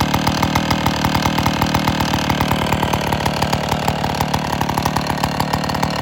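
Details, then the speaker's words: Old IEL Pioneer HM chainsaw after fuel system work (new fuel lines inside the tank, new gaskets, carburetor cleaned). Crisp, evenly spaced two-stroke firing at a steady fast idle with no misses or surging; running cleanly. "It works awesome, thank God, because the carb kits are expensive for these old saws."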